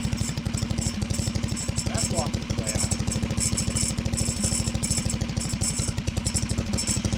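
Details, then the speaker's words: Harbor Freight Predator 420cc built engine on 2WD Coleman minibike, near-freezing rain: quick, even single-cylinder thumping with light tinny rattle each firing beat; recoil starter walking its way out. "The starter's walking its way out. Let me address that real quick."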